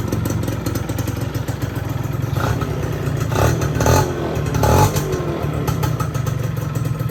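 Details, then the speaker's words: Yamaha F1ZR two-stroke after repair of a noisy clutch housing loosened by a worn aftermarket bearing: a steady crackly buzz with short throttle blips that settles cleanly. Slightly rough from a non-original dynamo; normal idle. "Ya suaranya udah adem."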